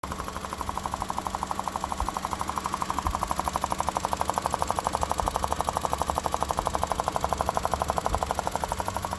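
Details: 2001–2005 Honda Civic EX idling: rapid, even popping ticks over the petrol engine. The knocking/popping noise was traced to a bad fuel injector O-ring that leaks.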